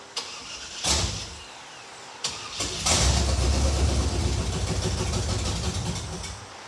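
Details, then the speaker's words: '56 Chevy Field Car, 500-hp small block, primed but still not drawing gasoline: bursts of cranking, then a weak, uneven catch that won't stay running; crank no start, likely as the mechanical fuel pump isn't picking up fuel due to a subtle leak at the fuel filter. "What we think just happened is that the mechanical fuel pump is not picking up gasoline from the tank because there's a leak right here at the fuel filter, which is really subtle"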